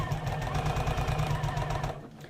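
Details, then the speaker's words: Sewing machine stitching while making a bag: fast, even clatter of about ten knocks a second with a hard, hollow clunk on each stroke; runs clunky, owner suspects it needs cleaning and a needle change. "I think I need to clean this machine cleaned their machine lately this sounds a bit clunky"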